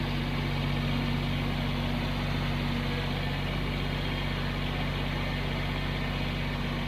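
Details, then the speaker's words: Kubota BX23S tractor driving a front snowblower via K-connect after fixing its bearings; steady diesel drone with even hum, earlier chattering, sound and vibration gone. "it was all about those bearings the sound is gone the vibration's gone it's working great"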